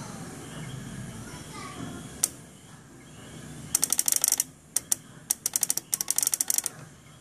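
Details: 1992 Toyota 4Runner: sharp rapid clicking in uneven bursts in engine compartment with engine not running, occurs as engine shuts off; owner checking ignition switch, cause unconfirmed.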